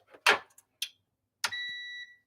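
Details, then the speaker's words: Treadmill damaged when its belt bound up during a run: after a few handling clicks, one clear high half-second beep shows the console is getting power. "okay you can hear it it's on"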